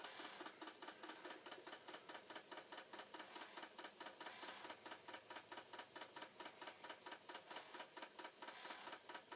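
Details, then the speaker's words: Flood-damaged Commodore C2N datasette fast-forwarding or rewinding while a 1541 runs a performance test: fast light ticking about two per second drags and goes uneven, tape slowing and nearly stalling; owner suspects the tape; tape winding slowing. "this is going to rewind or fast forward and oh it is slowing down again maybe there is something with this tape"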